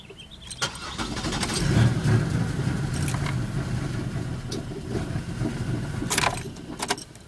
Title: 2000 bonneville SE won't start